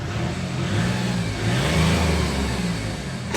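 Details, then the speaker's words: 2006 VW Polo 1.4 TDI three-cylinder diesel bought at auction, just driven nearly 40 miles home: clattery idle then a couple of smooth even revs, rough but normal for this engine; a spring noise may be audible; healthy. "they're not the nicest sounding engine, but that's what they're meant to sound like."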